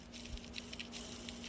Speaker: Say, this is junk. You don't even want, this should have had rubber sealed, fully sealed with lifetime lubrication, and that don't have it.